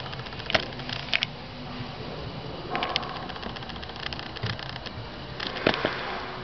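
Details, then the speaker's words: Suzuki SX4 steering rack, customer complaint of knock or clang from the right side on fine gravel; engine off, rocking the shaft gives scattered sharp metallic clunks as the right-hand rack shaft end rattles loose in a worn bushing. "X4 рулевая рейка жалобы поступили от клиента на стук либо звон с правой стороны по мелкому гравию"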